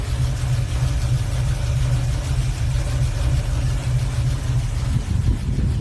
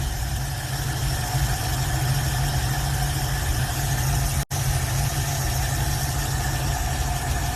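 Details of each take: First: Hot rod with a Holley carburetor on an adapter plate, a poor engine ground and a dirty cable: a rough, lumpy idle with an uneven low rumble; the owner says it runs super rich at the carburetor and plans to replace it. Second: Older swapped-in V8 in a hot rod idles with a deep, even rumble and no misses, knocks or surging while the choke is being adjusted: normal idle, purring.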